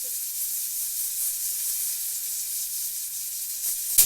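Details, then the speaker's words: Pressure canner coming up to pressure on the stovetop: a soft, steady hiss of escaping steam rises into a short sharp spurt as the weight starts to jiggle and rock; normal steam venting just before reaching pressure. "Alright, you can see that the weight is starting to jiggle. We're almost to pressure."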